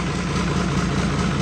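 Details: Hino J08C/H07C turbo diesel, 200+ hp, removed from rice harvester, fuel system bled: steady even clatter, smooth low rumble, no misses or knocks, turbo charging; normal idle.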